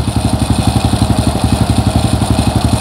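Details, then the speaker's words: Single-cylinder motorcycle at idle after piston replacement and valve work (skir klep), cylinder head reinstalled: steady even putter, no knocks, starts easily and clean exhaust with no smoke; previously hard to start due to a worn piston; normal idle. "suaranya bersih enak ya dan gampang hidupnya yang kemarin memang enggak Agak susah hidup juga ya temen-temen ya jadi penyebabnya itu ya adalah piston yang sudah kurang sehat ya"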